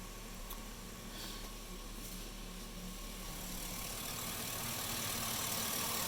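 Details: 2005 Silverado 1500 with the 5.3L LM7 at idle, after a Fel-Pro intake gasket and a fix for P0171/P0174 lean codes, with the correct mass airflow sensor fitted and fuel trims where they should be. Steady, even V8 idle, smooth low hum, no stumble. Normal idle.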